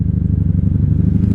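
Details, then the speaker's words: 1997 Honda Magna 750 VF750C V4, rebuilt after a wreck, first ride of the season, idling at a gas pump before a non-ethanol refill: steady even low thrumming idle with regular firing pulses, no knocks or misses; sounds good, normal idle. "Yeah, she sounds good. I'm not gonna turn her off though. I'm gonna fill her up"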